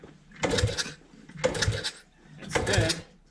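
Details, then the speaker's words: 1976 Honda CT90, non-running, fuel reaching the carb, ignition off: three kicks, each a dull thump with air puffing back out rather than being sucked in. Owner suspects valves are off. "I get a repercussion of air coming out. I'm curious if my valves are a little off."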